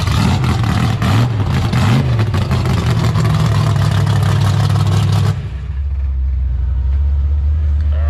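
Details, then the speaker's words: 1972 AMC Javelin, AMC 401 stroked to 431 with aluminum rods and stroker crank, built 1996 and first run yesterday: revs cleanly for several seconds, then drops to a smooth lumpy idle, no misfire or knock; normal running. "So, the first time it has run was yesterday, since it was first put back together in 1996. So almost 30 years ago that motor was built and then never ran. So pretty wild it runs as good as it does."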